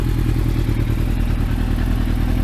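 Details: Rattly engine on restart of an old car, undertray going on ahead of MOT, temperature gauge now working: loud, busy idle with a loose, clattery rattle over the low exhaust beat; owner suspects something loose, cause unknown.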